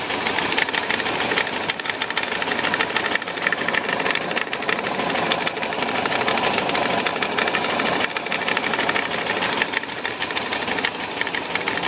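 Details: VW Bus with Type 4 air-cooled engine idling with a loose, uneven knock, about three beats a second, from around the 12 o'clock position on the cooling fan; cause unknown.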